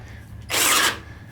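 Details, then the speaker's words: Brand-new Harbor Freight Hercules 12V drill: brief high-pitched motor whir under half a second, then abrupt cutout; drill stalls and shuts down under load, owner smells it overheating. "pressing the button they don't want to work sometimes like right now it's doing nothing shutting down on me already it's doing nothing too much for it"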